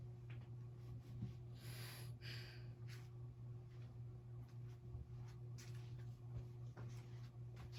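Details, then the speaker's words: SMC DC42 ceiling fan on a test rig, with the motor not yet oiled: a quiet, steady low electrical hum; motor hum, and the owner says it needs oil. "So yeah, started off. It hums and it needs oil, but I cannot find my oil right now."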